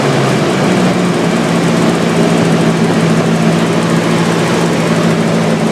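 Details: Nissan S14 SR engine at steady idle with a light, quick tick over the engine note; owner suspects lifter tick, but the cause is unconfirmed.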